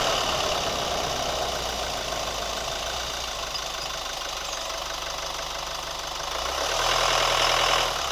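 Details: New Chevy Colorado at smooth idle: light even ticking roughly three per second, keeping pace with engine speed; cause not yet pinned down.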